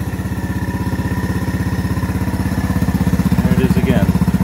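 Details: 1981 Honda ATC110 single-cylinder trike idling: loud regular pulsing at about four beats a second with a faint odd rattle over it. Owner doesn't know what the noise is; source unclear.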